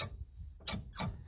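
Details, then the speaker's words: 4WD vehicle on jack stands with four-wheel drive not engaging, prop shaft turned by hand; suspected CV joint near steady bearing at a wrong angle: three sharp clicks in about 1.5 seconds. Suspected CV joint clicking, unconfirmed as root cause. "this CV I believe it's a CV a constant velocity joint because it sounds like it's got balls there's a bearing steady bearing there and look at the angulation on that that's not right"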